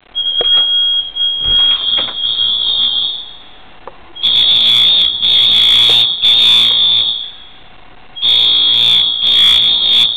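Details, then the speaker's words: Apartment building fire alarm going off for 30 minutes, recorded out in the hallway, sounding in every room: shrill high buzzing tone in about four-second bursts with short gaps, repeating; fire alarm sounding continuously. "This has been going on for 30 minutes. And it's everywhere."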